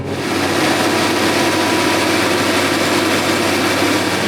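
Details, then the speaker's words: A big farm tractor's diesel restarts on an old 450 hp injection pump, fitted with some modification after the original pump gushed fuel; it settles into a steady, even clattery idle, no stumbling or hunting: normal idle. "it's running can't believe he got that old injection pump so he had to do a little bit of modifying but he got it on there"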